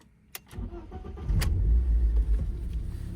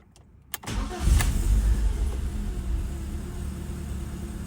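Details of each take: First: BMW E36 Compact 316i on a cold start: a brief crank catches into a low, uneven idle that stumbles. The misfire comes with an air-leak emission fault from a failed inspection; a MAF sensor change was needed. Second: BMW E36 Compact 316i after replacing the MAF sensor, previously rough idle/misfire with an air leak: quick crank, catches cleanly and settles into a steady, even idle with no stumble; normal idle.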